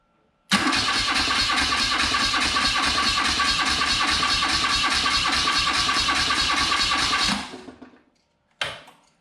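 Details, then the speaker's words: Early-1980s (1983 or 1984) BMW R65 boxer twin that had been sitting, cranked for a couple of seconds: even beat of about three pulses a second, not too easy and with no clunking; normal cranking compression. "Seemed to turn over pretty easy, but not too easy, if you know what I mean. If it's too easy, it means there's no compression."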